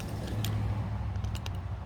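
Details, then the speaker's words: Suzuki Boulevard that won't start: pressing the start button gives a few sharp dry clicks from the starter relay/switch over a low hum, with no cranking; relay clicking, no crank, cause not confirmed. "so when i push that button to crank it's that switch that is making noise"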